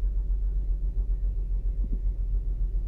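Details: 2008 Saturn Outlook cold-start misfire: low, muffled exhaust rumble with uneven beats, some weak or missing, about four pulses a second. The owner wonders whether commanded air/fuel ratio dips during open loop, a possible computer glitch, cause the misfire.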